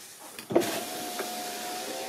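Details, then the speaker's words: 2006 Audi A3 Sportback 2.0, rear window regulator just replaced: a clunk, then a steady, even motor hum as the glass travels smoothly with no grinding or slipping; window works properly. "Ah bah c'est magique, ça marche."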